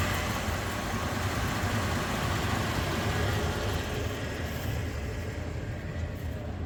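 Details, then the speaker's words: Carbureted Ford pickup V8 with a long exhaust, after a new accelerator pump diaphragm and air filter: deep steady idle with a soft, even exhaust burble, no knocks, misses or hunting; normal quiet idle. "Oh boy, it's beautiful. I still can't believe how quiet this is."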